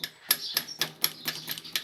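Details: Bicycle riding: sharp light metallic taps, several each second, with no motor, as the chain slaps against the frame.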